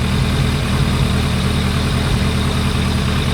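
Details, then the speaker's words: 2001 ZRX1200R four-cylinder with CVK carbs: lumpy idle with occasional uneven pops; owner plans slow-screw adjustment; rear-to-front air box bolt later found missing, leaving an air gap. Popping at idle. "A little popping on the cylinder, I don't like that either. We'll have to adjust the slow screws and see if we can dial that out."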